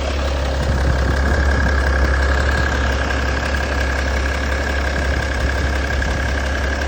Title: M57 Clatter noise. Is this a chain issue?